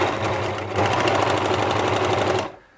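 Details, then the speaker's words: Near-new ex-demo Bernette 610D serger, customer complaint of noise, before service, threaded, running at low speed with fixed microphone: fast uneven clattery rattle about four beats a second, sounds noisy and rattly. "It does sound quite noisy, doesn't it? Sort of rattly somehow."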